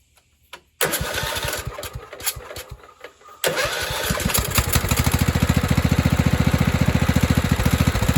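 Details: 1997 Craftsman lawn tractor with a 16 hp Kohler Command engine, long unused, after the carburetor is cleaned with carb spray and fuel added: a few cranking chugs, then a steady, even thump about 3.5 per second.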